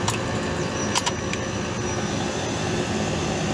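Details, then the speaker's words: Compressor, ambient about 72–75°F: steady hiss and hum with sharp clicks as it loads to second stage (Y2), drawing 21 amps; did not load the day before. "hear it change look at that it's going up it did not do that the other day we are jumped into y2 compressor says we're in it because we're pulling 21 amps"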